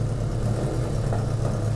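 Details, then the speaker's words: 1981 Yamaha XS1100 Midnight Special idling one click off full choke after minutes of smoking, possibly oily: uneven, stumbling beat with the odd dropped pulse; owner hopes a carb rebuild helps; intermittent misfire at idle. "it's starting to miss a bit too so anyway as documented now and uh hopefully with the carb rebuild it might it might come out of it"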